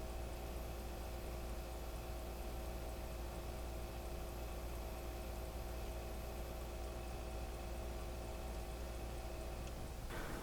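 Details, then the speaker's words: Faint steady low hum with soft fixed tones, flow meter possibly ticking, from an XSPC X2O 750 V2 bay-res pump with fans off, microphone by the pump; quiet normal running. "here's the sound of the uh pump with uh without any fans or any other uh noise other than maybe the flow meter you might hear the flow meter ticking in the background"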